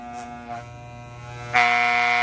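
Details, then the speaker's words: Soling Barber Pro hair clipper during blade adjustment: steady high buzz turning harsh and rattly when the blade is pressed, blades clattering from too much tension; still not adjusted after a first loosening. "Ainda fez barulho, não está regulada. Vamos voltar um pouquinho."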